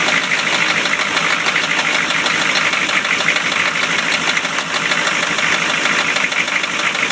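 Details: 1993 Chevy idling with a fast, somewhat uneven tapping of roughly three per second through a steady idle; described as rod knock.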